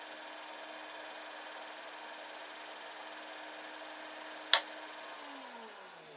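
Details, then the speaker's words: Brushed 24 V 350 W eBike gear motor BY1016Z for a plastic shredder, switched off: steady low hum under airy hiss, probably much of it from the PSU's fan, then a click and a falling tone as the motor spins down; normal. "And some of the noise there, certainly, well, probably quite a bit of the noise is coming from the PSU power supply, which has a fan in, okay."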